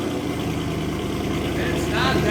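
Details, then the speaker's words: Mercedes C63 AMG M156 V8, freshly rebuilt engine assembled hours earlier: deep, steady burble with even pulses, no knocks or misses, sharp throttle response; healthy idle. "they came like that brand new yeah the throttle response is like nuts yeah it's like barks it is it's basically just attacking yeah"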